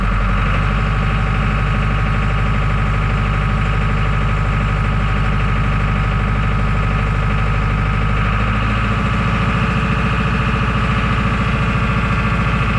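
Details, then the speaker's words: John Deere 5410 diesel tractor with algae in the fuel, which lost power in the field: the steady idle sags and lugs lower after about eight seconds at fixed hand throttle. Fuel starvation from contaminated fuel. "I was coming up through the field on the last trip, only about probably 100 yards from the house, and I lost all power. And we'll see if it'll start today. Starts up. Hear that losing power?"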